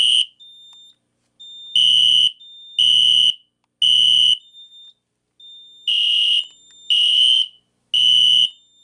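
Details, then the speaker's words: System Sensor P2475 SpectraAlert Classic horn strobe on a Kidde FX panel: shrill, raspy blasts that start higher-pitched, then drop to a lower, rougher pitch in the repeating code-three pattern; cause unknown. "When it sounds a whole lot crappier in FWR because when it when it did that first buzz, the the first buzz like was like higher pitched and then when it went went into the code three sequence, it went it went in to lower pitch."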